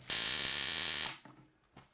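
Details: 25-inch K7000 arcade monitor from an NBA Jam cabinet, previously recapped: loud harsh sizzling buzz with fast crackle for about a second, then snaps off; high-voltage arcing from the flyback.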